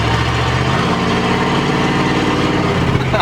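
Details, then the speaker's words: Chrysler Cordoba: the exhaust pipe popped loose at the top of first gear at full throttle and is scraping the ground. The engine drones much louder and raspier than stock, a steady low rumble; broken exhaust pipe, loud exhaust. "All of a sudden it popped and then the exhaust started scraping the ground. I thought the car blew up."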